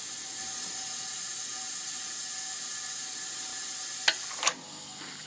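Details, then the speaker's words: 469 big-block Chevy dragster, cold leakdown test; exhaust header quiet, but a steady thin hiss at the carburetor when the throttle plate is cracked open, air leaking past the intake valve. "you can hear that difference from closed to open you'll hear the air closed and then i'm going to open it so that's definitely air leaking right past the intake valve you can hear it right to the carburetor"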